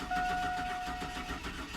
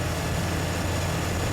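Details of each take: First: 2002 Chevy Silverado 4.3 litre that died while driving and now cranks but won't start: starter spins the engine at an even, steady cadence but it never catches; compression judged fine, so a mechanical problem is thought unlikely. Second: 2002 Chevy Silverado 4.3-litre after a crank-no-start caused by a defective distributor rotor and cap, replaced; now a steady, smooth, low-pitched idle with no misfire. A coolant leak is blamed for ruining the rotor and cap.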